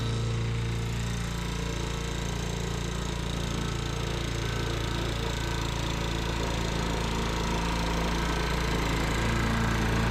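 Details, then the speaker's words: Sears Eager One lawnmower, Tecumseh single-cylinder, after makeshift connecting-rod knock repair with beer-can metal, throttle halfway: even, steady rattle at constant speed with no separate knock; normal running. "But as you see, I was successful putting in that beer can metal. No more knock. You gotta love that."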